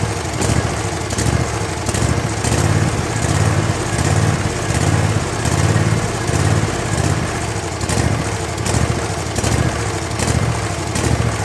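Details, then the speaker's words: Kohler 7000 series V-twin on a zero-turn mower, shroud removed: the engine speed rises and falls over and over, surging at idle, mid and full speed, before a carburetor rebuild (kit 25 757 27-S). "so you notice how it was kind of surging there that's what we're fixing"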